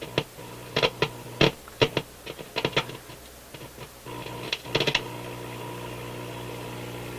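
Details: Motorola MK 56-H five-tube radio on light-bulb restricted power after soldering in new filter capacitors; irregular sharp crackles and pops over quiet hum, then settling; owner suspects board flexing cracked a trace.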